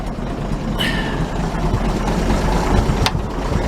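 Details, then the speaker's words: Truck idling after intake and exhaust manifolds refitted to stop leaks, with repaired exhaust pipe and new muffler, oil pressure up: low, steady idle with even beat and quiet exhaust, no ticking or knock; healthy idle. "this engine's quiet now you can't hear it but it's mechanical music"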